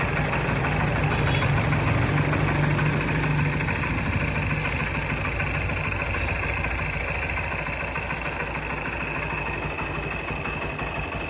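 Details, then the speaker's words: Motorcycle single with newly fitted bore: idles with a steady, even thump of about three beats a second and no tapping or knocking; engine sounds healthy. "வண்டி start ஆயிடுச்சு வண்டி எந்த noise எல்லாம் engine noise பொறுத்தவரைக்கும் ஏன்னா போர் எல்லாமே புதுசா போட்டாச்சு"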